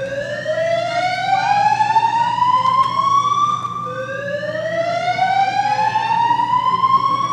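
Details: Greenwich High School fire alarm going off repeatedly during testing, with strobes flashing. A clear rising whoop sweeps upward and restarts about every four seconds; a normal fire alarm test.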